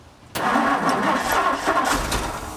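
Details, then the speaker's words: Car engine sitting 23 years, first start attempts with a few new parts, gas pedal pumped, fuel leaking underneath: cranks, catches with an uneven rough note, then sags and fades; starts then stalls. "right, come on, you gotta keep it running. There you go. Oh, almost. Try it again."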